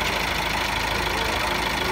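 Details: Car being jump-started from a motorcycle battery using 2.5 mm jumper cable on a 70 Ah car battery; steady, even diesel clatter at idle with no misses or knocks, engine idling cleanly after the jump start.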